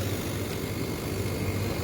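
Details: Blast chiller compressor, discharge and suction pressures being watched after terminal wiring: steady low hum with an even hiss over it, no knocking or rattle; running smoothly.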